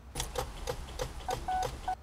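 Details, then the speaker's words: Car won't start: quick, even clicking, about three or four a second, as the key is held, typical of a weak battery starving the starter; the battery connections should be checked for oxidation. "but usually when the problem is with the battery you're gonna have sounds like this"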